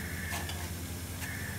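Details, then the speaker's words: Six-and-a-half horsepower overhead-valve small engine, previously seized, at top dead center on compression with shop air applied in a leakdown test: steady soft hiss of air escaping out the carburetor, engine not running; intake valve leaking, valve and seat probably rusty. "there is some leakage out of the intake valve so the valve and the seat are probably rusty"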